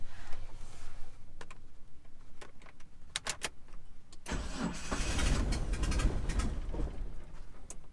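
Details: 1997 Eclipse GSX final start try after checking plug order, cam sensor, top dead center and cam alignment: steady starter churning with a few weak fires that never catch; cranks but won't start, owner suspects timing, cause unconfirmed.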